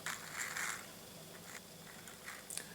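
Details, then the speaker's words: Old Seiko Kinetic watch with case back open before capacitor-to-battery swap; brief dry mechanical crunching each time the watch is moved, from the charging rotor counterweight, cause unclear. "there always quite a had quite a noisy mechanism I don't know if that's normal for these watches but as you can hear as I move it here a slight sort of uh mechanical crunching"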